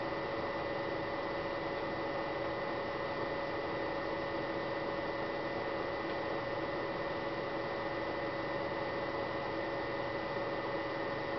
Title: Noisy DVD drive Samsung SH-S203N